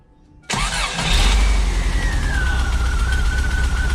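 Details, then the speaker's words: VW Vanagon after installing new GoWesty starter replacing a failing original that gave weak slow starts and drained the battery: quick strong crank, catches within a second, steady idle with fading whine; starter healthy. "it's been working amazing since then. It just fires off beautifully, and you'll see that next."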